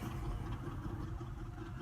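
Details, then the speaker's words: Late-1980s/early-1990s Chevy truck, about 90,000 miles, likely 700R4: lumpy, uneven idle rough enough to shake the hood. Cause unknown; O2 sensors were suggested, with only an EVAP code stored. "see do you hear it you see the hood shakin Itron so rough it's shaking like the whole engine's moving back and forth real hard"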